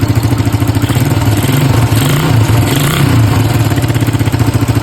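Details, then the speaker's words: Suzuki Satria FU 150 test start before repair, exhaust also leaking: fast, steady metallic clatter over the idle following every firing pulse, a rattle from inside the engine; teardown planned. "Terus ada suara ngerecek. Nah ini suaranya ngerecek di sini."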